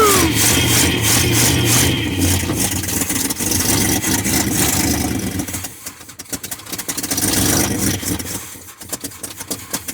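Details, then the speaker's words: Big block 454 C30 dually square body, carburetor bowl primed with poured-in gasoline: cranks, catches and revs roughly, then sags and stumbles; no fuel pumping from the dual tanks, tank possibly empty. "There's no fuel pumping. Let's hope the tank is empty to be honest."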